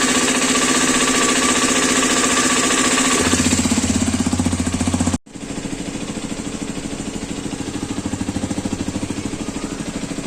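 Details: New Hero Xpulse 210 from the January 2026 batch at pre-delivery inspection: the single-cylinder runs with a steady rhythmic knock, roughly 150 a minute, persisting after a brief dip. Engine knocking alongside an oil leak at an engine joint, source unknown.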